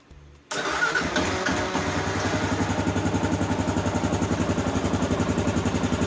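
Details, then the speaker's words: 2015 Kawasaki KLR 650 single, fully cold after a couple days, full choke, just after choke adjustment for long-standing hard starting: short crank, catches immediately, steady even thump at fast idle; clean start. "This is totally cold start. Bike hasn't run in a couple days. I'm going to give it full choke."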